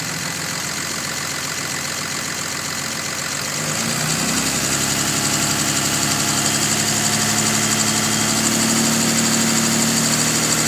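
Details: 2005 Dodge Cummins 5.9 diesel starting and idling with a faint, regular tick or knock of about three to four per second, loudest when cold and easing somewhat once fully warmed; cause unknown.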